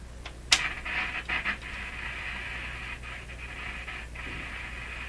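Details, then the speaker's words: Hallicrafters S-40A shortwave receiver on first power-up test, switching to band 2.8 MHz: sharp crackles and scratchy bursts as the band changes, then faint steady hiss; dirty band (wafer) switch, set otherwise in good shape. "Dirty wafer switch."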